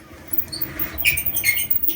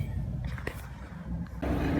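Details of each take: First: Amana clothes dryer, drum turned slowly by hand: irregular high chirpy squeaks and a drum that is hard to turn; rollers or bearings are suspected of failing or seizing, possibly the tensioner pulley, not confirmed. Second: Amana gas clothes dryer, after oiling the squeaking idler pulley, belt on, run briefly with gas off: drum turns with steady, even low rumble and light hum, no squeak or chirp; normal drum rotation.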